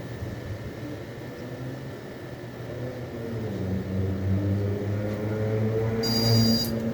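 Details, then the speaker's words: Computer/UPS (nobreak) cooling fan that was making a loud noise, tested on the bench after cleaning; not seized, apparently just dirt: soft, steady low hum with smooth whir firming slightly, no rattle or scraping; normal fan running. "o cooler não tava travando tá aparentemente era só sugeira mesmo"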